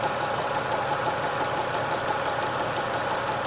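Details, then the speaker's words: Tapping at idle, light regular ticking about three per second over a steady idle; source not pinned down, owner suspects the lower belt tensioner pulley, which wobbles slightly and was fitted 20,000 ago; new pulley ordered to check. "Где-то что-то подстукивающий звук какой-то. Один товарищ мне сказал, что это, скорее всего, ролик. Вон там внизу натяжной. Чуть-чуть он болтается."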